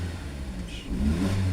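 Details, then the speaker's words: VW Polo after replacing an oil-fouled spark plug that caused rough idle, vibration and EPC light: short clean rev blip climbs and settles evenly, no misfire or shake; EPC light gone, engine healthy. "So the engine is no longer vibrating, so everything is sharp. Job done."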